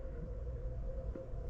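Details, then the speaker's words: Central air conditioner outdoor unit after the thermostat's 24-volt cooling call was switched manually, proving a faulty thermostat: steady low rumble with a faint even hum, no clicks or rattles; unit cooling and running smoothly. "but switch 24 volts to cooling the unit kicked on"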